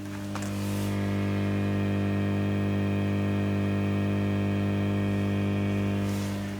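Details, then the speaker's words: Orange Matamp ORST amplifier with its volume pot at the worst hum position; a steady low mains-frequency buzz with stacked overtones that never varies. Mains hum, source not pinned. "i've got the volume pot in the worst hum position that's there"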